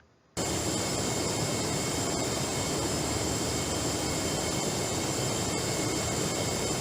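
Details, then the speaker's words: Refrigerant hissing through the gas bypass valve of a Gree GMV multi-VRF outdoor unit, which links compressor discharge and suction and opens at startup or low suction pressure: loud constant "sha" rush with thin whistle; if it never stops, the valve may be faulty. "if we turn it on we just conduct the high and low pressure due to the pressure difference it will make the sound which is “sha” very noisy actually"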